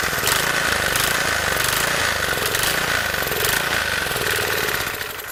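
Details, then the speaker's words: Garage-sale gas edger after carburetor cleaning and refitting, choke on: a steady cranking churn with a harsh rasp and no firing. The won't-start was caused by the fuel-air mixture screw being all the way in; backing it out about 1.5 turns got it running. "Took a little while. That fuel air mixture screw, it was just all the way in. So I backed that out."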